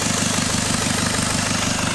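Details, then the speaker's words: Jaguar XF, first start after starter motor replacement: steady airy hiss over a regular idle thump, exhaust leaking from an EGR pipe left unbolted earlier on the ramp. "Turns out that that hissing noise was just another one of the EGR pipes that for some reason I'd missed off earlier when it was on the ramp."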